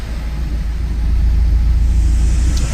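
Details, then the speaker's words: 1978 MG MGB just after its first oil change since 1987, with fresh 20W-50, idling at about 950 rpm with 75 psi oil pressure, maybe slightly rich: deep, steady, consistent exhaust burble with no misses or knocks; normal idle. "you can hear the exhaust is consistent range was not shaking like hell sitting at about 950 rpm which is right where you want it"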